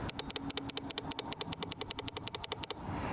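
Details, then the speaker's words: Suzuki Eiger 4x4 ATV, no crank: rapid sharp clicking about eight a second with no cranking. There are 12 volts at the starter wire, so the solenoid is fine and the starter motor has failed. "so we know that the starter is not turning over the engine um starter is getting 12 volts so it's not the solenoid it is in fact the starter"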